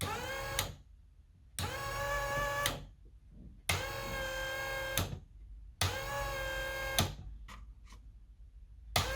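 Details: Mitsubishi Lancer Evo 6 AYC hydraulic pump after rebuild, bench pressure test with gauge and control box: electric pump whines in steady one-second bursts with short pauses, cycling as pressure builds.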